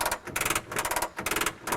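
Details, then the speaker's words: Messerschmitt Bf-108 under restoration, manual landing gear being cranked up: crisp even ratchet clicks about twice a second per stroke, slow but free; gear retraction system working normally. "So you hear that clicking sound, and that is just the gear system working, and the gear just comes up. It just takes a little bit of time to do this, but it works really well."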